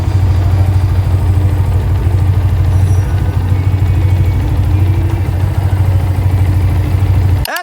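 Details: Yamaha Vixion, owner complained of noisy engine, blamed on a previous ceramic cylinder block with piston-to-block gap; after work and reassembly, idle is steady and even with no knocks or ticks; normal single-cylinder idle.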